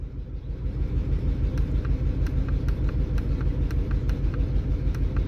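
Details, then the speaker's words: 2003 Chevrolet Trailblazer that cranked but wouldn't start, no codes: low idle rumble with light ticks, missing at idle. The scanner's cylinder monitor showed misfires on cylinders 3 and 6, later 1, after coil swaps. Fix: cleaned clogged injectors, replaced failing coils. "Me vengo aquí, como la camioneta está fallando, yo aquí puedo monitorear cada uno de los cilindros para ver a cuál está fallando, ya sea inyector o ya sea bobina."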